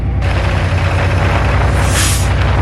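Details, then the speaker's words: Air-brake truck diesel at high idle during a daily brake check: deep steady rumble, then a short sharp hiss as the air filter dryer purges on reaching maximum pressure of 110–120 psi, a normal purge at cut-out. "okay we just reached maximum air pressure which is between 110 and 120 psi we heard the air filter dryer purge"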